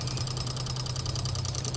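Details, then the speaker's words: EVAP solenoid commanded on with a bi-directional scan tool: a fast, even run of light clicks over a quiet background, showing the solenoid cycles and works normally. "oh it's this guy right here this is the vent solenoid I believe that's cool though it actually works"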